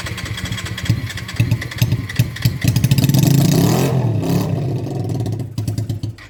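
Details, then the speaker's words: Honda Shadow under restoration, first start attempt after fixing a stuck-open carburetor float that leaked fuel from the overflow hoses: uneven cranking, catches and runs about a second on fuel alone with no starter fluid, then dies and resumes cranking. "It it died right after, but it was it started and was running for like a second on fuel. Nothing but fuel."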